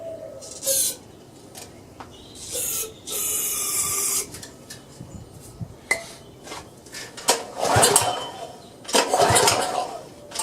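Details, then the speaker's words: Power washer engine that won't start, air cleaner off and carb cleaner sprayed in, before carburetor cleaning; irregular rasping pull-cord strokes with no firing; cranks, no start. Spark was later confirmed and a varnished float bowl was found. "I'm getting nothing so I think I need to check for spark"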